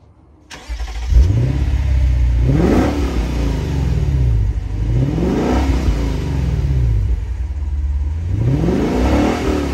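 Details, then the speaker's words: 2022 Lexus IS 500 with its 5.0-litre V8, whose check engine light just came on (cause unknown), exhaust sound: the engine catches and settles into a deep, even idle, then three clean blips rise and fall smoothly. "you can hear for yourself the amazing sound of this 5-liter v8 engine"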